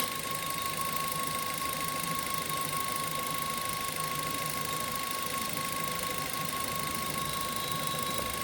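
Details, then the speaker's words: Suzuki Ertiga VXI petrol engine noise unresolved after an authorised-service tensioner bearing repair: steady whirring hum with a thin constant whine, owner unable to pinpoint source; sounds like a worn water pump bearing. "So இதுதாங்க அந்த noise இது வந்து எங்க இருந்து வருதுன்னு என்னால diagnose பண்ண முடியல"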